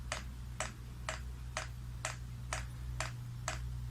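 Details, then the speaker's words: Chinese diesel heater with a rotary controller, priming with the off button held: crisp, even fuel pump ticks about two per second over a low hum, gradually speeding up over roughly five minutes; normal priming. "and you can hear it will gradually get faster that clicking sound on the pump"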